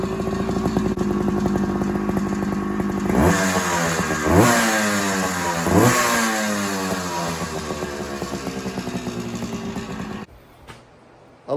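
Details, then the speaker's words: 1984 Suzuki PE175 two-stroke on stock exhaust, before FMF silencer install, running on Klotz R50 oil; crisp idle picking up into clean rising revs twice and dropping back smoothly; healthy stock before sound. "There's a reason why they call them two smokers. So, there you go. There's the before before sound."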